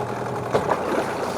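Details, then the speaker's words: New Hangkai 18hp two-stroke outboard during its first test in a water-filled trash can, shifted into gear with the prop spinning. Steady buzzy idle with short clunks as it engages, shifting in both directions; normal idle and gear shift. "Okay, that worked. Okay, it looks like it's shifting in both directions. So, that's good."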